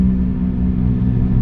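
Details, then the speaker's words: Maruti Suzuki Alto 800 on test drive around 40 km/h: steady low droning roar with an unrelenting hum that continues even in neutral, showing it comes from a worn rear wheel bearing rather than the gearbox. "अब इससे क्या साबित हो रहा है दोस्तों यह आवाज क्या में है कि यह आवाज है व्हील के बेरिंग में"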